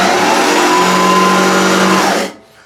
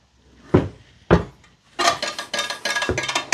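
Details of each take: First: Allett Stirling 43 reel mower running after backlapping in the machine with the zip-tie-and-weight method, now passing a clean paper test: even whir with almost no reel contact and no knocking or grinding; normal reel running. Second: Allett Stirling 43 cylinder mower reel spun by hand during backlapping setup: a few sharp knocks, then a scraping rasp; much more bedknife contact and drag in the in-machine position, easing as the reel tips back and its weight comes off.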